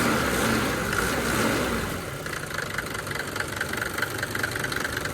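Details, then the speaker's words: Mercedes W124 after fixing the serpentine belt squeak and correcting belt alignment: a steady diesel idle with soft regular clatter and no belt squeal. A normal idle. "पूरी alignment में आ गई है तो कोई आवाज नहीं आ रही I can असोर that"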